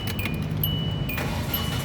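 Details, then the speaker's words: 2006 Hyundai Tucson 2.0 GLS automatic, about 120,000 km, at startup: repeating high two-tone "ting-tung" chime over a quiet running engine, the warning that a door is open. "Kalau dia nyalanya tersendat, nah ini ada suara bunyi ya, tingtung tingtung seperti itu berarti pintu posisi kebuka, jadi dia ada warning ya, jadi pintu kebuka, dia ada nyala seperti ini suaranya."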